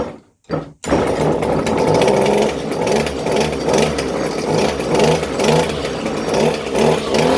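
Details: Echo SRM-230 two-stroke weed trimmer after carburetor replacement (owner says it may still need adjusting): a high, buzzy note held steady with slight rhythmic surges, picking up cleanly on throttle. Running normally.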